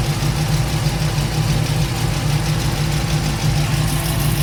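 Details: LS-swapped Chevrolet K10 V8 at idle: light, quick tick over a low rumble, following engine speed; owner is unsure whether it is a header leak or the valvetrain.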